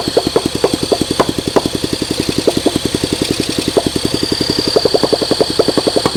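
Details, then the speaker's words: 1971 Honda SL125 single, previously seized and freed, cleaned carburetor, sat for years; uneven popping about eight to nine firings a second, stumbling under throttle, smoke and blow-by from the case; owner suspects a compression issue. "The combustion right here is smoking out the case. I got a lot of blow-by going on. Come on. I think we got a compression issue."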